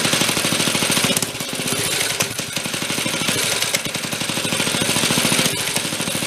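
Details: 1965 Corvair Monza SS go-kart made by Rupp, revived after sitting for years, with the carburettor main and idle speed screws being adjusted: idle is smooth, but revving gives a rapid, choppy popping that stumbles and flattens, a lean mixture.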